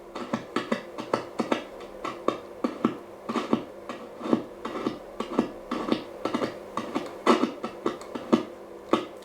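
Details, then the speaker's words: 1937 Telefunken Torn.E.b. WW2 radio, long wave band one with 134.4 kHz test signal: no tone, only sharp irregular crackles about once a second while turning the tuning capacitor, sounding like something shorting out in the faulty long wave tuned circuit. "and I don't like this sound at all it sounds like something shorting out as I rotated the tuning capacitor"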